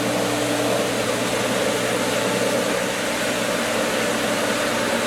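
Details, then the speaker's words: Pool pump after winterization, skimmer valves being opened with air in the lines: harsh, airy churning roar with no clean water-flow sound; pump sucking air and losing prime, then recatching. "It should, it has prime, but there's just so much air now. So it should recatch is the idea. But remember that it keeps administering more and more air."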